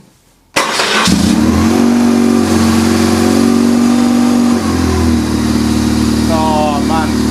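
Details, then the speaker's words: BMW R1150 GS, cold, after starter motor replacement: catches quickly and settles to a steady twin-cylinder idle, a slight throttle blip, then evens out; healthy, confirming the old starter was the fault. "it's a bit cold but here how quick that fired [Music] up that sounds so much better so at least we know it was the starter motor"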